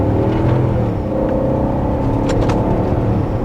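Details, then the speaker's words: BMW X5 4.6is with ZF 5HP24 automatic, road test after repair for slipping under load: short-shifting uphill at about four thousand rpm for extra load, revs drop cleanly on each upshift into third with no flare or slip; repair works. "third that's fine like not just not fine it's clean all right dude i think we've done it success"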